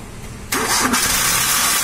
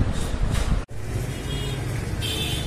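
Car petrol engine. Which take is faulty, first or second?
first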